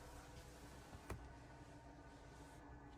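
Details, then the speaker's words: Propex LPG gas heater, switched on in warm weather, priming itself before lighting: a quiet, even low hum with a faint steady tone and a single soft click. Normal priming before the green light comes on and warm air flows. "And when it starts up, you'll get a little light here. So at the moment, it's just priming itself."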